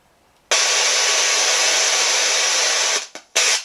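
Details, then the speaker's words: Small spirit box device's built-in speaker: harsh loud static bursts for about two and a half seconds, then cutting in and out; harsh static from faulty speaker. "you get the idea there's a there's a loud static burst there but why don't we replace this little speaker with one of these"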